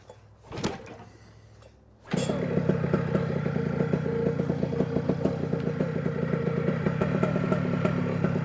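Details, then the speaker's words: New OpenPPG SP140 V2.0 paramotor two-stroke at the start of a 5-minute break-in idle run per the manual, on 40:1 Motul with ethanol-free gas: after start-up it settles into a fast, even buzzing idle with no misses or surging. "that's pretty good Let It Go for about 5 minutes right now just going to do that at [Music] idle"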